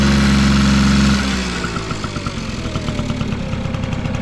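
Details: Vintage Honda Squash (AB11-1064) 12V scooter with electric start, idling just after the starter cuts out: small single ticks over at a quick, steady beat, even and quiet, no knocks or rattles; no abnormal engine noise, normal idle.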